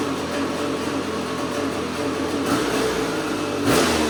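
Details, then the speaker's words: 2009 Outlaw 525 quad with KTM 250SX two-stroke swap, first fire-up in weeks, crisp idle in neutral but revs hunt up and down unevenly; owner suspects an air leak, possibly the power valve left without rebuilt O-rings. "say that it sounds crisper, but do you hear that little fluctuation in RPM? It almost makes me believe that it is getting a little bit of air somewhere."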